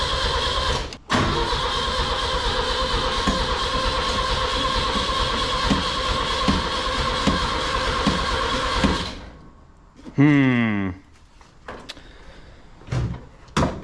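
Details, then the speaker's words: 1965 Datsun 320 with a rebuilt Weber carburetor, fuel pressure too high and the float bowl flooded: the starter turns it over steadily for about eight seconds without catching, a crank with no start. Lack of spark is suspected. "I wonder, maybe we're not getting spark."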